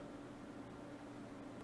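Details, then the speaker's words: Gaming desktop PC after the fix: quiet, even fan hiss with a faint steady low tone and no buzzing. The hum came from the case's hard drive enclosure holding a 4 TB drive, not the five-year-old PSU. "It's very quiet now."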